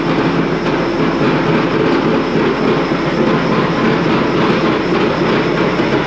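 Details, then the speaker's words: Truck noticed making a noise after backing out of the shop, first suspected U-joint then right-side drive axle (axle tube pulled, louder on right); steady driveline roar with irregular clicking and clacking; power divider with a broken tooth, to be replaced with a reman. "So we have determined that we've got a power divider that has a broken tooth or something."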